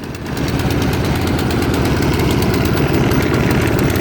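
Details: 2015 Craftsman 24-inch snowblower at full throttle (rabbit) during seasonal start-up, choke off: busy engine with a fast uneven metallic chatter on top from loose spare shear pins rattling on the machine.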